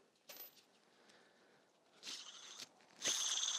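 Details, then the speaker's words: Subaru EJ205 timing-belt cog pulley turned by hand during an engine reseal teardown. Short gritty hissing rasps each spin instead of silence: worn, noisy bearings, caught before a likely timing failure. "And it's got a lot of noise to it too. So we probably caught this at the right time."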